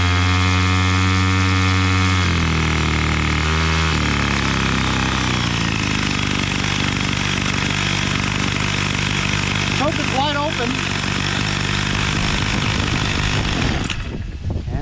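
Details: Bolens MTD BL-160 25cc two-stroke string trimmer drones at high speed, then its pitch sags and wavers and it dies despite open throttle, during carburetor cleaning and mixture screw adjustment.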